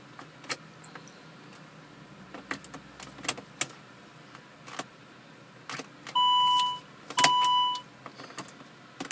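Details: Car with T8 ECU after a failed software update attempt: key clicks, then two long steady electronic beeps with no cranking or firing; won't start, cause suspected to be the update.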